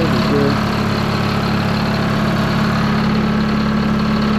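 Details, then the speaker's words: 1953 HD5 crawler diesel idling after cold start, following battery/cable and starter drive issues: low, even idle with steady beat and no knocks or misses; normal idle. "love it listen to that 1953 vh5"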